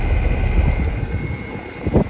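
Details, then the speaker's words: Hitachi inverter outdoor unit after an inverter (ISPM) board replacement, compressor running in test mode: the outdoor fan makes a deep, rough whooshing drone with uneven thumps instead of a smooth hum; cause not confirmed. "compressor's still running test the other uh the other phases as well so far so good but that fan does appear to be making a bit of a bad noise put you in there you can hear"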